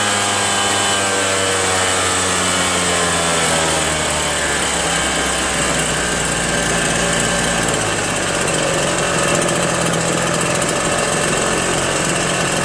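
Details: RedMax EBZ8050 gas backpack blower two-stroke after new piston rings fixed no compression (rings very tight, hard pull, hard start): steady high buzzing note settling and holding speed evenly, no misfire or stumbling; runs smoothly.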